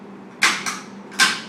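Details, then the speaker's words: Proton therapy treatment room: three sharp clicks in a quiet room, the first two a quarter second apart, then one more; normal clicking as the medicine cup in the snout is changed during treatment, played louder than usual for demonstration. "the only reason you hear that quick clicking that usually i'm doing it a little louder than normal only because i want her to understand what it is um that's just us changing your medicine cup"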